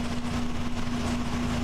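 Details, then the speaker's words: 1996 Mazda Miata, idle after a whole can of SeaFoam was fed through the oil vent tube into the throttle body after the MAF was cleaned. Even, steady idle with a smooth hum, no stumble or wobble; smoother and quieter than at startup. "well i just ran a whole can of seafoam into it running it with my hand and i can tell already it's running better than it was when i started it's smoother it's quieter"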